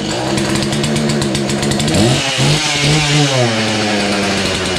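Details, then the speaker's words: Husqvarna 235 X-Torq chainsaw pulled from a snow bank, primed and run on full then half choke: revs surge and sag, sputtering and struggling to stay running; owner suspects the fuel pickup isn't working well. "it's almost like the fuel pickup there ain't working too good really gotta prime it"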